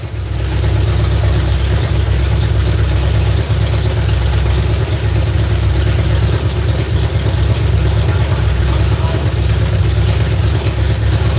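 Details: V8 just started on a newly fitted ignition box: loud, heavy roar that sounds lazy and doesn't rev freely. Flames were seen from one side when run up; ignition timing is suspected, not confirmed.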